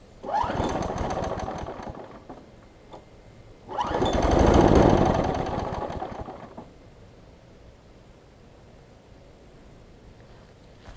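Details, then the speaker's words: Craftsman 6 hp big-wheel front-drive self-propelled mower, new pull rope fitted, primed: two pull-start bursts of quick chugging that die within a couple of seconds; won't catch, fouled carboned spark plug; fixed with a new plug and air filter. "like it's getting a lot of gas I'm going to cycle it a few times maybe maybe there's just a bunch of gas in the shape"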